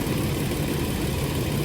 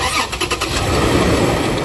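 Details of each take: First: 2007 Toyota RAV4 after water pump replacement (old pump leaked coolant onto belt, pulley wobbled and was noisy): smooth, even low idle at normal operating temperature, no whine, squeal or knocking, no leaks or overheating; engine sounds healthy. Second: 2007 Toyota RAV4 started cold, rough idle with grainy growl; water pump pulley wobbling a lot, pump leaking coolant onto the belt, before replacement; worn water pump bearing.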